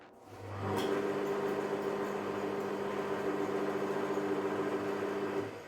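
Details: 50-year-old Taiwanese drill press just after replacing the quill bearings and readjusting the tensioner: smooth motor hum spins up, holds even about five seconds, winds down with no rumble or grind; normal run (capacitor apparently failed later).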